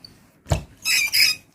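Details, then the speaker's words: Graphite-coated wiper blade on dry glass: a soft thump, then two short high-pitched squeaky chirps as the blade drags; a mild dry-wiper squeak that adding water would reduce. "I mean it's a bit noisy. It's a mild noisy when you dry. You might add water because this is noisy. It because it's a graphite coating."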